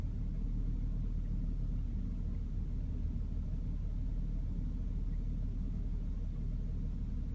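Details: BMW E60 530i, N53B30 engine: low, steady idle rumble with an uneven, lumpy beat of about three pulses a second; rough idle, followed by a MIL.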